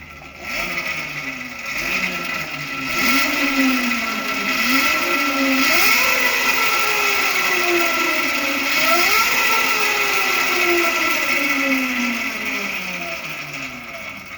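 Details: Electric motocross converted from a scrap pit bike: 5,000 W, 5,000 RPM motor at 48 volts with 1:6 ratio to the rear wheel, accelerator blipped; clean whine rising and falling with each blip, no grinding; motor working properly.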